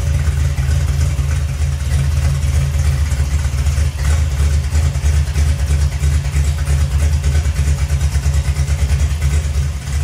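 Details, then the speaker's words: 1972 TVR 2500M after replacing a worn, noisy water pump, idling after coolant top-up during leak check: steady, even low idle with smooth beat, no whine or chirp from the front; water pump much quieter, normal idle. "everything looks good and the water pump is much quieter"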